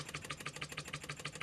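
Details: Scratch-built Wig Wag wobbler-style oscillating engine: even, quick puffing at about six exhausts a second with no knocks or hesitation; running sweetly.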